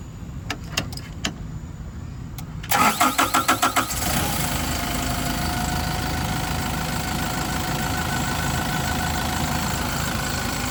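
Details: Yale diesel forklift after crank-no-start repair, started on a battery boost: a few clicks, short cranking bursts, then catches into a smooth even diesel idle; normal start and idle.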